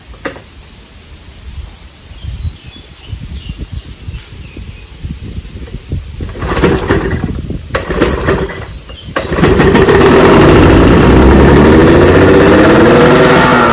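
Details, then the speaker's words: 1996 Johnson 15 HP outboard (model J15REDO) running after a carburetor clean; it wouldn't start before. It catches after scattered pops and settles into a steady, even buzz. Runs pretty good, though the kill switch doesn't work. "all right I got her in the water bucket and I've been running there she runs pretty good"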